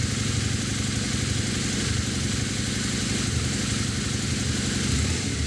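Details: Early Harley-Davidson V-Rod after Tri-Starr fuel level sender install, started to check for leaks: even, settled idle with steady rumble, no misses or knocks; normal idle.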